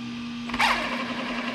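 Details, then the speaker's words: 3D-printed RC outboard with greased gears, running in at 0–10% throttle sweeps: steady mid-pitched gear hum even at low throttle with one brief blip, getting smoother and hunting less as low-speed RPM stability improves. "and I can already I can already tell this is getting smoother from listening to the frequency that"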